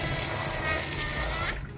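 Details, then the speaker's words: Honda Civic cowl drain after debris was cleared with a thin hose. Rainwater had been leaking in, leaving the check light on, the fuel pump not priming and the car not starting. Water gushes and drains freely without gurgling; normal drain flow. "bueno esto ya está mucho mejor Entonces observen cuál tiene que ser el funcionamiento real"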